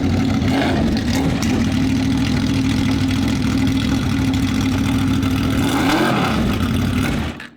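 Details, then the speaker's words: Honda VFR800 with Temu turbo build, warming up after replacement throttle bodies, no warning lights: steady fast idle, then the note sags and wavers on throttle and dies away; still stumbling, cause unknown, plugs somewhat oily. "Still broken. Yeah, it's not running right though."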